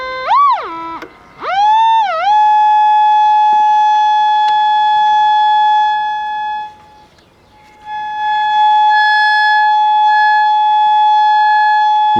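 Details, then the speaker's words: Sony TR-712 vintage AM table radio, audio function generator fed into the volume control: the test tone holds steady, then turns buzzy and clips at about 100 mA (0-200 mA scale); the audio section works. "hear it starts to clip right there that's about a hundred milliamps when the zero to 200 milliamps scale"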